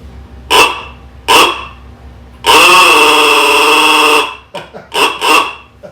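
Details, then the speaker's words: 1926 Oakland being revived after 75 years, electrical test with lights working: short honks and a longer blast, reedy and thin with sagging pitch; weak horn, battery suspected of getting weak. "The battery's probably getting weak."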